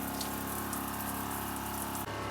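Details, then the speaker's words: Joolca HotTap pump on Dingo trailer shower, full heat, medium pressure: steady low pump hum under rushing water, dropping out abruptly near end; pump cycles on low pressure and off when pressure builds, normal. "And you hear the pump come on and off as water's flowing. When there is low pressure, pump turns on because water's flowing."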